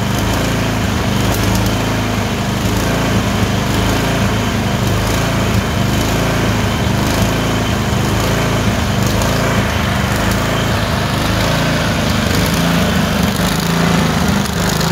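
Small engine runs unevenly, its beat hunting up and down with irregular dropped firings, a surge with random misfire on the twin.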